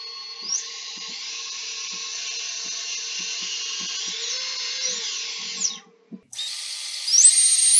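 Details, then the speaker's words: Three-inch quad on the bench, props off, motor one spun up from the motors tab via a smoke-stopper bulb: high, smooth whine climbing with speed, no gritty rasp or rattle; brushless motor bearings sound normal. "and then we're just gonna spin up motor one that sounds really good"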